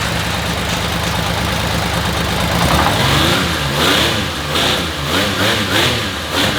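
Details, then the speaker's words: Honda CBX six-cylinder motorcycle's first start in 20 years after a full carb rebuild, with the vacuum system ignored. A fast, hunting idle that surges and dips, with a little smoke. The high idle comes from the engine starving itself for fuel. "Um, the bike still is clearing out his throat. That is for sure."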